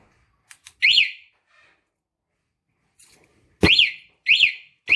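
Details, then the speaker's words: Motorcycle remote alarm set to highest vibration sensitivity: after a disturbance, short high warbling chirps repeat about once a second; vibration-triggered alarm siren. "[ وائبریشن حساس اعلی ترین سطح پر ٹیسٹ"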